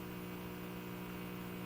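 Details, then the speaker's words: Zenith 6D029 console tube radio brought up slowly on reduced voltage (about 80 V): a steady, constant mains-frequency hum with no program sound. Suspected to need the 60 Hz filter cap; the dial may not tune. "But it's making a little bit of a noise. It's got a bit of a hum."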